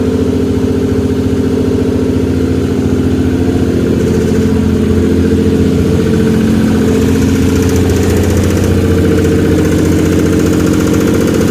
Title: Twin Turbo Stealth back to life (Hydrolock Lifter Tick) lots of carbon smoke!!